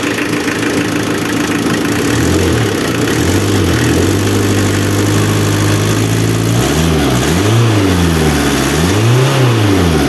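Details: Renault Kangoo F8Q 1.9 diesel after swapping the original Lucas Delphi DPC pump for a mechanical Bosch VE pump: steady idle with a few clean blips up and down, smooth, no knocks; sounds practically the same as with the Lucas pump.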